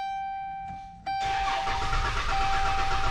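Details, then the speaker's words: 2011 Dodge Grand Caravan: starter cranks the engine with a steady churning rhythm but it never catches or fires; crank no start. "you can see it just cranks over [Music] but nothing at all"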